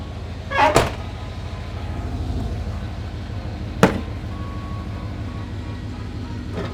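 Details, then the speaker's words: OBS Chevy K1500 idling after fresh oil change, no leaks: steady low hum with a door thump, no ticks or knocks; good oil pressure, smooth normal idle. "all right she's running she's got good oil pressure I guess this is the part we find out if we fix anything but it's got clean oil so we'll just do regular oil changes from here on out and it should live a long time now"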